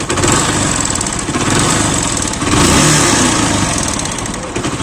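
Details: Deluxe single-cylinder motorcycle engine idling: a dull, hollow knock with no other engine noise. Half engine then opened, head and cylinder removed. Piston slap from a loose piston.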